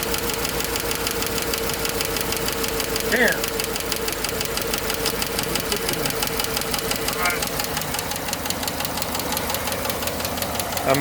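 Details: Chevy 5.3 V8 with AFM, after replacing collapsed lifters, rocker arm and pushrod, valve cover off at idle: fast, even ticking following engine speed; cylinder 6 rocker arm has excessive play with a collapsed lifter.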